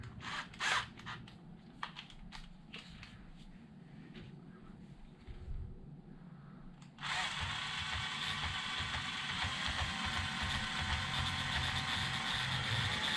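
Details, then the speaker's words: Traxxas X-Maxx drivetrain spun on the bench: steady high-pitched gritty whir; gear noise, owner suspects an out-of-round DJI 50-tooth gear, unconfirmed. "you could hear it that's the noise that uh the gears are making"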